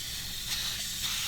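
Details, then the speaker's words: Tire on a 2000 Jeep TJ Wrangler with 5.7 HEMI swap being aired down through a threaded deflator: continuous even hiss of air bleeding out steadily, no sputter; normal deflation. "you just leave that right on there and it'll layer down for a little bit"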